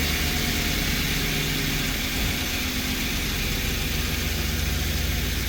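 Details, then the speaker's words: 2013 Ford E150 van V8 idles with a steady, even low rumble after spark plugs replaced, including a melted cylinder 3 plug and misfiring cylinder 4; runs smooth, no stumbles. "she sounds good she sounds smooth"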